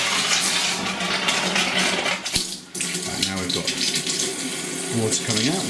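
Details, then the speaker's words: Pressurised gas-heated hot water system after replacing a Zilmet expansion tank, still powered down. Even, full rushing hiss from the hot tap with no spitting or air bursts while joints are checked for leaks; flow is normal. "So, the system's still all powered down. So, you can hear that coming out. We might just increase the flow a little bit."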